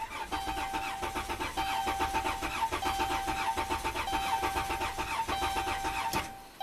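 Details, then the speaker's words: 2011 Dodge Grand Caravan, 3.6 L Pentastar V6, 146k miles, cranking without starting with pedal floored during a starter-current compression test: slightly lopsided rhythm from low compression on cylinders 2 and 6, needing cylinder head or valve work. "So yeah, we have low compression on cylinders 2 and 6."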